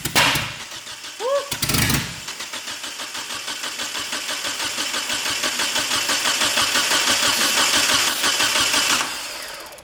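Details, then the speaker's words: Eagle Talon TSi, first start attempt with two gallons of fresh fuel: steady starter cranking with brief attempts to catch that never take; spark confirmed but no fuel, owner suspects injectors not firing. "so during that start you guys could hear it wanted to kick over so we definitely know we got spark but we're not getting any fuel"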